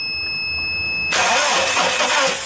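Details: Volkswagen Polo cranking steadily after a quiet key-on but never firing; crank no start with no spark, caused by no power to the ignition coils because of an immobilizer lock.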